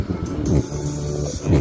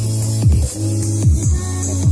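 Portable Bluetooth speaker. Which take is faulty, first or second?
first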